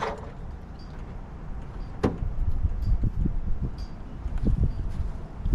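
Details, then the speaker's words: 1940 Mercury Eight stored since the 1970s, distributor timing being adjusted: rough cranking with uneven sputtering firing and sharp pops back through the intake; backfiring from a stuck intake valve. "Definitely hear popping in the intake, which I know for sure one of the intake valves is stuck."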